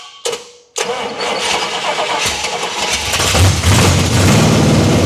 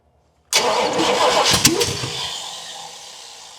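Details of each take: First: 1979 Pontiac Trans Am V8 after crossed plug wires were fixed and the 180°-out distributor corrected: a couple of cranking bursts, then it catches and settles into a rising rumble, rough at first and thirsty for fuel. It is running. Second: Long-sitting 1979 Pontiac Trans Am cranking on first start attempt after the starter was freed with a hammer: rough cranking with sharp pops, coughs and flames from the carb, never running. Base ignition timing is badly off.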